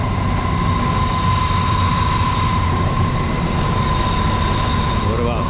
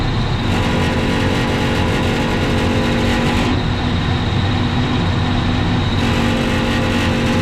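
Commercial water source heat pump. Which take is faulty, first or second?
second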